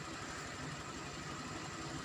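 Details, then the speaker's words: Honda Vario 125 LED scooter just after home CVT service with filter and parts refitted: quiet, regular putter at steady idle with no rattle or grinding from the belt drive; sounds healthy. "oke setelah pasang semua kita nyalakkan oke pemira halusungis ya"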